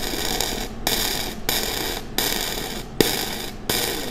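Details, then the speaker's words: Flux-core MIG weld bead with voltage too high and wire feed speed too low: harsh crackling arc with sharp pop every half second to second, uneven and sputtery. "is a little too low as well so this is where my volts are high my wire speed is low"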